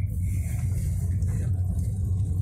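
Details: Toyota Corolla tested over rough, bumpy ground after repairing a brake knock that sounded on every pothole: only a low, even road rumble with no clunks or knocks from the front wheels, and the brakes are now quiet.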